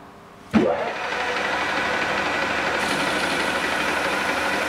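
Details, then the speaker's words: Lathe parting off a part for a 4-facet drill-sharpening jig with a new tool tip: machine spins up, then a steady even cutting hiss without chatter or squeal, a clean smooth cut. "that's a lot better isn't it it's more like what we want"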